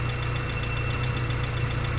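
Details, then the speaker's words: 1992 Honda Civic hatchback, warmed up at idle: steady thin high whine over the engine with no pitch change, only at idle; seems to come from the alternator area but persists after a third alternator and a new, tightened belt; source unknown. "it really seems like it's coming from the alternator but I don't I don't know where it's coming from and it's so annoying it's so annoying driving this thing"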